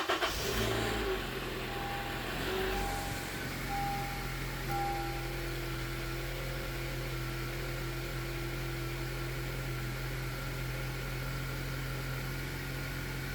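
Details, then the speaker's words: 2012 Honda CR-V 2.4 K24 after timing kit (VTC actuator rattle fix) and valve adjustment: engine catches cleanly and settles into a steady, even idle with no chain rattle on start-up; healthy first start after repair. "all right she sounds good it's funny no matter how many times you take apart an engine I'm always nervous when I first started always"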